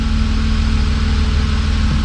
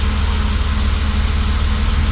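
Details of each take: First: BMW E36 M3 S52 petrol straight-six, first run after over 10 years sitting, codes just cleared, very little fuel: smooth, even idle with a steady low pulse, no misfires heard; secondary air pump whining. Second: BMW E36 M3 S52 inline-six, first start after sitting 10+ years, codes just cleared: steady idle with a faint constant whine over the low exhaust pulse from the secondary air pump; secondary air and cat codes expected to return.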